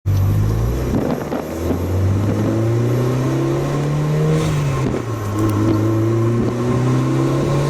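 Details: Mitsubishi Lancer Evolution VIII MR after repair of black smoke and no-start caused by fouled spark plugs, plugs replaced and tuned; strong even engine drone rising and falling smoothly with throttle, no misfire or stumble.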